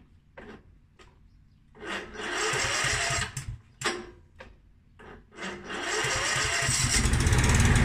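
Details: Mountfield SP536ES self-propelled mower, RM55 160cc engine, after service, new battery and drive belt: after a few short tries it catches and settles into an even, steady run with no misses. Normal running.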